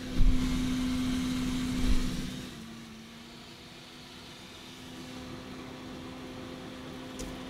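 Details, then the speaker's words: Computer power supply fan on a noisy unit brought in for repair, powered from a bench supply: brief pulsing surge at start-up, then a steady low hum of smooth airflow, just air noise; normal fan running. "That sounds nice. That's just air. Air noise."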